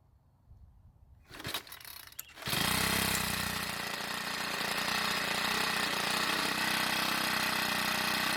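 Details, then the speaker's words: Troy-Bilt 4-cycle edger, hard to start, started after priming gasoline through the air inlet: a few pulls, then it catches and settles into a smooth, even, buzzy run; runs normally, valve clearances suspected for hard starting. "Now the strange part is that once started and running, it has zero problems. It idles just fine, revs up perfectly, and has no other running issues."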